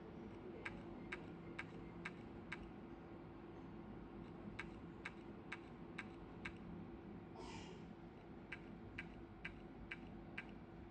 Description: Hard drive 1.8 of Toshiba, new one, making weird noise, it's was working 2 day fine, and after that it's making noise from hard drive and says on the screen that is not found the hard drive, but it's new, how this is happening???